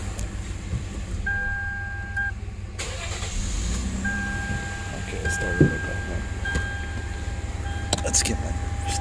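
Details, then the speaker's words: 2007 Lexus IS250 crank-no-start, possibly jump-started backwards, connectors found mixed up and fuses missing, codes P0102, P0121, P0123, P0351-P0356, P2135: door chime, brief crank, fires and holds steady idle with heavy exhaust smoke; normal engine start. "I got the car running there's a lot of smoke coming out of the exhaust pipe"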